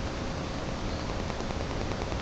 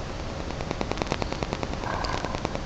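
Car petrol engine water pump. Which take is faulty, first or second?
second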